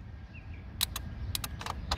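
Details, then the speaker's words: Nissan car whose 12-volt horn keeps honking without the button pressed: sharp irregular horn-relay clicks over a low hum. Relay contacts aren't welded; the relay itself is getting power and latching, so something upstream is switching it. "what i found you people will hear the sound when i pulled out this relay this clicking sound is coming right from the relay"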